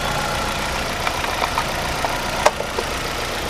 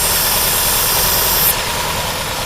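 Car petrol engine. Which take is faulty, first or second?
second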